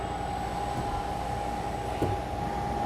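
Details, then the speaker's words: Bosch Rexroth CKK servo-driven ball screw linear module after auto-tuning: quiet steady hum during travel, with no squeal or oscillating tone at the ends; the earlier noise from bad servo tuning is gone. "Smooth as silk, no sounds, no squealing, nothing that shouldn't be there."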